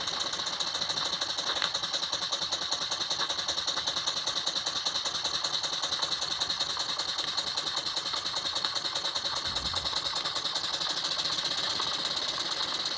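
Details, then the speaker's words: 1979 Jensen Model 50 steam engine, a little drag applied with the governor opening: light quick even chuffing with hiss, about 2.5 beats a second, steady and unlabored; normal running. "such a nice running engine it's nice and quiet put a little drag on it"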